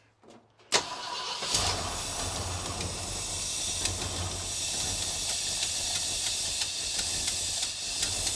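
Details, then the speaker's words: 1966 Ford Galaxie 500, first start attempt after sitting, with an engine that had been somewhat stuck and fuel pumped in: it starts with a bang, then runs thin and uneven with scattered pops and little low-end body. Finding: fuel starvation. "It seems like I'm not getting fuel. I'm not. Dadgummit, what the heck?"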